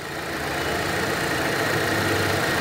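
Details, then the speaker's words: Volkswagen Polo 1.6 petrol at idle, which stalls when put in neutral: a steady airy hiss from a vacuum leak at an open, broken hose port. Half-covering the port changes the sound; the port will be closed off with a hose. "yeri yani burası Bak Kaçak var burada yani Burası açık böyle duruyor duyuyor mu sesi hiç bak yarım kapatıyorum ses yapıyor zaten"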